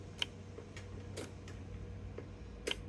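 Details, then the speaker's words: Everride Yellow Jacket mower, Kohler 23 hp, 843 hours, clicks but won't start: sharp isolated clicks over low hum, carburetor fuel shutoff solenoid pulling in normally, releasing the backfire plug in the bowl bottom; heard at carburetor. "So that's saying everything is good, because that's releasing your backfire plug that's in the bottom of the carburetor bowl, which is back underneath here, right there."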